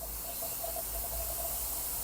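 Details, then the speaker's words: Hyundai Staria 8-speed automatic with low-speed shudder around 30 km/h, gearbox apart on the bench: air test of the line-pressure accumulator, a strong steady hiss with no piston stroke, then cutoff; pressure leaking past a worn accumulator bore. "예, 지금 압이 엄청 세는 겁니다. 지금이 소리가 나는 거는 살짝 작동하려고 하다가 마른 거예요."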